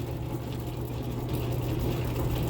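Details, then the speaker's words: Rock tumbler sitting unused for a couple of years, running with a new, empty plastic barrel; steady low hum with a faint continuous scraping as the barrel rubs on the bearing housing, while a furnace kicks on. "It's rubbing on those on that little housing for the bearings, and the furnace kicks on."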